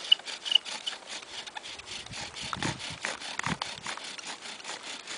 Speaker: that sounds pretty good i like to hear that that screeching sound usually means that it's a good set